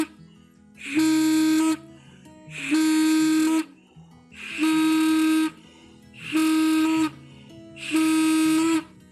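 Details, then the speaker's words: Blow test on the cleaned Kawasaki Ninja RR two-stroke reed valve block before refitting with a new gasket; five even blows give a clear, steady trumpet-like tone, and both sides are good: normal reed valve. "ya gitu ya teman-teman ini bunyinya maksimal kayak trompet kita bisa cek satu-satu tapi karena baik-baik masih bagus dua-duanya"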